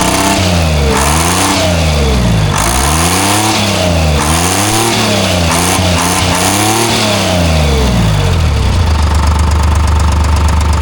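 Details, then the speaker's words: Timberjack skidder diesel with a gauge at the fuel filter reading only about 5 psi, rising to 10 at most: revs hunt and sag, then settle to a rough idle. The fuel bypass looked good. Low fuel pressure stumble. "I got nothing. It's got like 5 pounds. It goes up to 10 and that's it."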